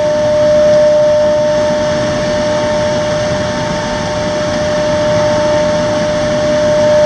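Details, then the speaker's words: Xeikon 5000/6000 printer drum being refinished on a refurb station (machine repaired with new belts and gears), sanding pass removing fused toner: steady pure tuning-fork-like ringing tone over soft hiss, normal drum ringing during sanding. "And here comes that noise. It's like a tuning fork."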